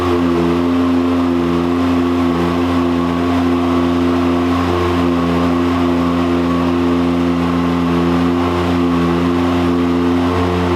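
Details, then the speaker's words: 2022 Can-Am on the dyno with a big-injector tune on the stock factory clutch: under load the engine holds a high, nearly flat scream like a free rev instead of climbing. The CVT clutch is slipping. "So we're definitely pushing the limit of the factory clutch. You can see, you can hear it in the video. I'm sure you can probably hear it, but you can see it in the dynograph. I can hear it real bad. Like you'll hear this like free rev almost"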